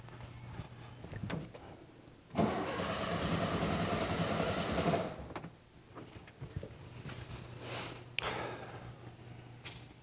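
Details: 1978 fuel-injected VW Super Beetle stalled right after a test drive, spark confirmed present: starter churns steadily for a few seconds but engine never fires; crank no start, owner suspects a fuel issue, unconfirmed.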